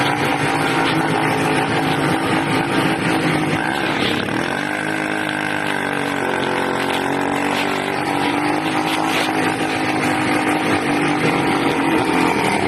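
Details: 80cc small two-stroke engine, raspy, pitch dipping and swooping unevenly around four to six seconds instead of holding steady; hunting, owner suspects a carburetor problem with a leak at the intake manifold, not confirmed.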